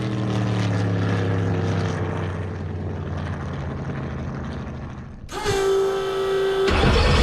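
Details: Carbon fiber jet boat with a rebuilt 632ci all-aluminum big block Chevy of about 1200 hp, running on a lake at 120+ mph: deep, strong V8 drone holding steady under load, then easing off, no misfire; normal running at speed.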